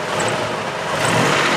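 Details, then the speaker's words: 1990 Daihatsu Charade CX petrol engine, short throttle burst: engine note rises smoothly and evenly without knocks or rattles; normal, healthy revving. "kita coba geber pun suaranya dia tetap aman tetap masih enak gitu"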